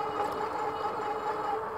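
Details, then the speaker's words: Troxus Lynx class 3 fat-tire ebike with Bafang hub motor, geared up under power: steady mid-pitched motor whine over soft riding noise, clearly audible. "Yeah, so you can definitely hear the motor on this bike."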